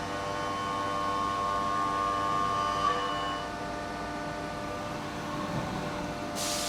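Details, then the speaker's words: CNC milling a billet aluminum PTO cover, about 0.020 in depth of cut, slowed feed: steady cutting hum with a thin high whistle that rises as the cut nears the middle of the part; milling chatter. "Once this gets toward the middle, you'll probably hear a little vibration, I'll kind of call it out. Well, you you can't help but hear that."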